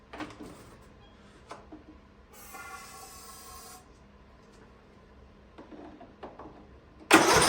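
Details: Free Ariens riding lawnmower, sat at least two years, first start attempt indoors: quiet cranking clatter, then the engine suddenly catches with a loud rush and runs.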